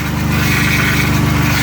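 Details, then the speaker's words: 3.6 Pentastar V6 just after engine replacement, first start: rough-sounding idle with a steady high whine over the engine from the power steering pump running low on fluid lost during the job; an exhaust leak is also heard. "Oh, that's power steering, guys. Remember, I lost power steering fluid, so I need to add some power steering fluid."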